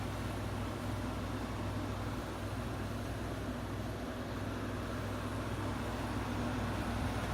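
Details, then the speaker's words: 1995 Friedrich KStar 8,000 BTU window air conditioner, R22 rotary compressor, running on low fan after start-up, cools well: low steady hum with soft even fan rush, no rattles or clunks; quiet, healthy running. "once it gets down this thing goes really cold here it's nice and quiet on low"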